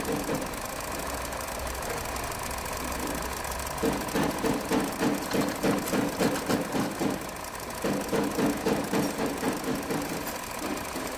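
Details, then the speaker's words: 2023 Hyundai Verna petrol BS6 automatic with overheating, coolant loss and late morning starting: idling engine with a hollow tak-tak knock from inside, suspected piston or something else, still to be checked. "और दूसरी चीज engine के अंदर से एक sound आ रहा है टक टक वाला जो कि या तो पिस्टन का साउंड है या फिर किसी चीज का वो चेक करते हैं।"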